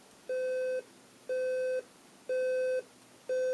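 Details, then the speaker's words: General Electric 7-4809A Nature Sounds clock radio bell alarm: steady half-second mid-pitched beeps once per second, getting louder each cycle; alarm working normally. "yeah it's getting louder a lot louder so we'll hit snooze on that"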